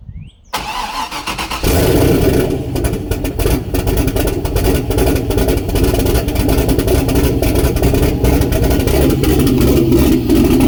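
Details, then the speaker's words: Turbo LS-swapped Mazda Miata first start on the old tune, O2 sensor unhooked, exhaust dumping at the turbo: after a short crank it catches into a loud, uneven, lumpy idle; rough running, smoke seen. "O2 sensor is not hooked up so it's probably not going to run that great but let's see if we can get some noises out of this thing"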